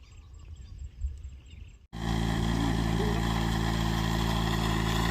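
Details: Yamaha crop-spraying helicopter engine on its pre-flight engine and injector test. After a quiet start it catches and holds a steady, even drone with a smooth pulse of about four a second. Sounds healthy.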